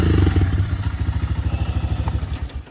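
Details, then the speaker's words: Honda FourTrax 300 4x4 ATV, parked 5 years with gas drained, after carb cleaning: even steady thumping about ten beats a second, no misses; normal idle. "Are you joking me? That has to be the easiest four-wheeler I've ever got running."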